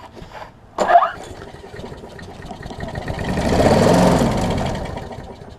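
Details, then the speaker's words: Troy-Bilt Tuff Cut 200 6.5 hp 21-inch self-propelled mower, rough, no gas tank fitted; one sharp pop on cranking then a short swelling sputter that dies, firing but not running, carburetor to be inspected next. "So, we know that this thing will at least fire."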